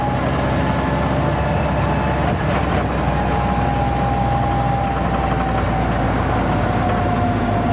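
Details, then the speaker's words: Jeep just fitted with a rebuilt Carter WO carburetor, driving, idle nearly dying: steady road rumble with a thin whine near 800 Hz drifting with speed. Rear axle noisy as usual, cause unknown. "Otherwise, it is running pretty good. Rear end isn't happy as usual, but"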